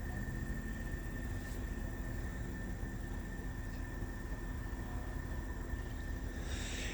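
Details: Mini split after a leak repair, indoor 73°F: the system ramped down, fan much slower, pressure slightly over 300. Soft steady low hum with a faint constant tone; running normally at low speed.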